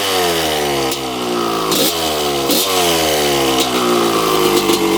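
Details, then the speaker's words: 1995 Honda CR250 two-stroke, first start on choke as bought, 52 pilot jet fitted: ringing idle, throttle blips sag and hesitate before picking up; seller said mid-range is horrible. Mid-range bog, cause not yet found. "so he said mid-range is horrible"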